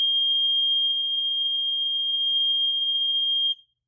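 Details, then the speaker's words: Kidde/Nighthawk KN-COPP-B carbon monoxide alarm (3 AA batteries, made 1997), test button held: one steady high-pitched tone about three and a half seconds, then stops cleanly; healthy sounder. "Yep, it does continue as I suspected. That is pretty cool."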